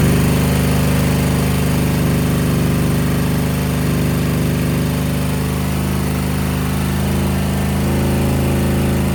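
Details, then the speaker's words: Suzuki VS1400 Intruder V-twin at idle; front cylinder warming, rear stays ice cold. Lopsided low thumping idle, rear cylinder not firing; rear carburettor float needle found stuck, glued by debris possibly from a deteriorating air filter. "Front one's starting to feel a little warm. The back one feels ice cold. Let me uh check the fuel and the float ball on the rear."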